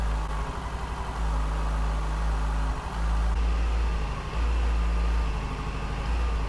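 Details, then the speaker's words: 2007 Yamaha FZ6 after swapping the ITB rack and injectors, misfire unchanged: low idle thump that stumbles and sags twice in a few seconds; ignition coil misfire. "hear it it drops yeah it's the same well that's a painful conclusion on swapping the itv rack and injectors on my 2007 yamaha fz6"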